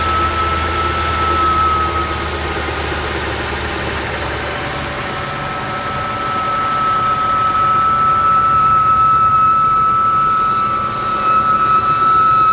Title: New 2023 Jeep Wrangler making whistling noise on cold start up